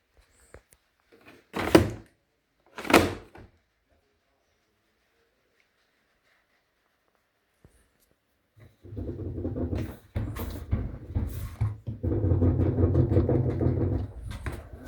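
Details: Candy RapidO washer dryer whose drum bearings were replaced a month and 5 loads ago: two door thumps, then the drum starts with deep rumble and rattling clatter; bearings suspected failing again, not confirmed.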